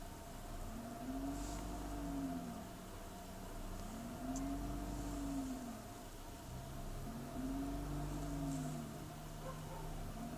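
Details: BMW E46 at idle: quiet idle hunts up and down slowly about every three seconds with a faint unsteady shake; rough, surging idle.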